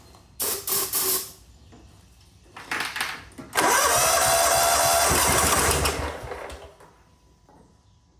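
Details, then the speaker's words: John Deere GT225 lawn tractor with water in the fuel, starting fluid sprayed into the intake: short cranking bursts, then a longer spin that wants to fire but never catches. The owner plans to drain the fuel to avoid forcing water into the engine. "Well, that's the first time I ever heard it actually turn over like that and kind of want to fire, but I don't want to keep doing that cuz I don't want to force more water into the engine."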